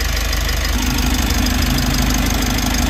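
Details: Mitsubishi L300 Euro 4 diesel, started after replacing a dirty fuel filter that caused a check engine light, light still on before code reset: steady, even diesel clatter at idle, about three beats a second with low rumble; runs smoothly.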